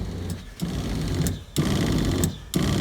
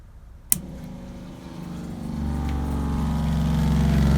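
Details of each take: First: RV water heater bypass valves (Camco kit) set to bypass for winterizing: the water pump buzzes in short bursts about once a second and never fully shuts off, because the bypass valves were installed backwards. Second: RV water pump, after repositioning Camco water-heater bypass valves for winterizing: click, then steady electric hum firming as it pressurizes and shuts off; normal operation, though a small drip was later found at the disturbed inlet.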